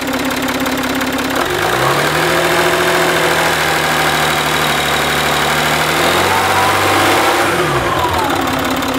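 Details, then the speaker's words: Citroën C6 diesel after fixing exhaust smoke leak near front turbo: steady idle, even hum dipping and settling smoothly, no puffing or ticking at exhaust; smoke gone, runs normally, owner not 100% sure fixed. "ok c'est bon il n'ya que couper le contact pour écouter lui ça a l'air d'être bon"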